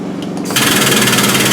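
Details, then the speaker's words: Lift table: a steady high electric motor hum starts abruptly and runs evenly, but the table jerks and fails to raise; motor runs, lift broken, parts unavailable. "so now as you can see you're here you hear the motor but you won't you won't hear the it won't go up"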